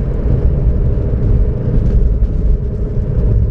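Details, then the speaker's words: 2006–2007 Toyota Corolla on a test drive at higher speed: steady low droning growl that gets louder with speed and swells when steering left, pointing to the driver-side front wheel bearing; owner plans to confirm by spinning it by hand. "yeah if I turn to left I can hear more noise yeah yeah it is it is a driver side"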